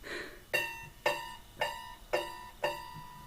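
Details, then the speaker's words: Hegner scroll saw, blade plucked after tensioning with the tension lever: five sharp plucks about half a second apart, each ringing a clear musical note that fades quickly, indicating good blade tension. "That sound is relatively important. It gives you an idea of what a good tensioned scroll saw blade sounds like."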